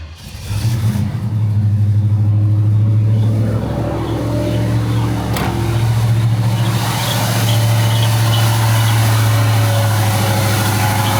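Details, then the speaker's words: 1971 Pontiac Firebird Formula, Quadrajet carburetor rebuilt and distributor/ignition worked on: deep steady V8 burble at cold fast idle after a few minutes idling, even with no misses; still smells rich but cold; ignition now firing cleanly, normal idle. "Still smells rich. But it's also cold. It's been sitting here idling for a handful of minutes now."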